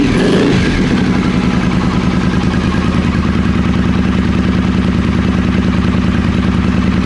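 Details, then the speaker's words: Triumph Speedmaster first start after carbs refitted, choke on: steady even twin idle, no knocks or misses; healthy as it warms. "Sounds okay. Is that the choke fully in now?"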